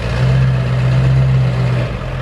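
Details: 7.3L Powerstroke diesel after a harness repair fixed it running on four cylinders, block heater on: deep, steady diesel rumble, even beat, no misfire or knock as the truck idles and pulls away; normal idle.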